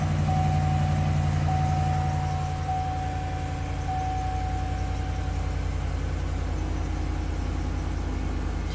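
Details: 2013 Chevy Silverado 2500HD after repairing a camshaft position sensor circuit fault (P0340, long crank complaint), codes cleared: smooth even idle with steady low rumble, no stumbles or misses; normal idle.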